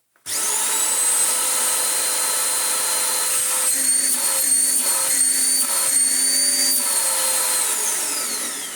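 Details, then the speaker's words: Vax Power vacuum running with choked filters removed: high strong motor whine with low pulsing train-like honk coming and going, air rushing freely and unrestricted; filters then cleaned. "there's that. It sounds like a train noise, but wow, it can breathe."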